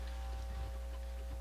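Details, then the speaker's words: Pioneer QX-747 receiver after restoration, cover off: faint scattered ticks and taps over a steady low mains hum as wires are touched and rubbed; the sensitive amplifier's wiring is microphonic. "these wires here just how sensitive these amplifiers are these wires are microphonic if i touch them they make noise rub them"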